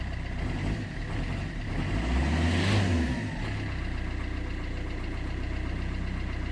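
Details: 2008 Vauxhall Corsa 1.3 CDTi (Z13DTH) diesel idling after the intermittent no-start with no codes was fixed without parts: an even clatter after a brief swell. It runs perfectly, with a little smoke from the intake work; normal idle.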